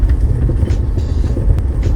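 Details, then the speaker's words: BMW X6 driven over a bumpy test road, front-left: heavy dragging clank-clank clunks through road rumble, not the knocking of ball joints or bushings; a previously replaced shock absorber was not seated fully at its mount, leaving a large gap, then reinstalled properly. "这个声音的话，听上去像是这个左前方减震器的声音，它不像底盘球头或者是胶套的那种声音。这个声音的话，有点拖那种感觉，是哐啷哐啷的。"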